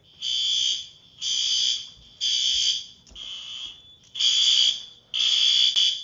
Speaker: In fact, it covers the entire first floor, which is kind of funny. You can really hear it from everywhere.